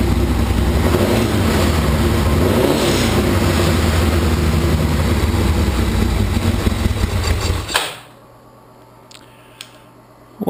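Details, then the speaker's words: 1981 Laverda 1200 TS Mirage, first startup since 2003 after full service with new cam chain, valve clearances, base ignition timing, rebuilt carbs, new airbox and exhaust: deep, even throb, no knocks, clean shutoff; healthy normal running, minor carb fuel leak. "I'm thrilled started right up looks like I'm in the ballpark with my base timing settings and my base carburetor settings and it sure sounds healthy holy smokes"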